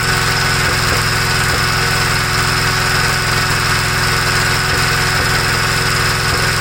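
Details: 1956 Gravely L single-cylinder after head gasket replacement and torquing the head bolts (carburetor already ruled out): fast, steady run with occasional sharp exhaust pops. It no longer stalls returning from high speed to idle; popping cause not yet found.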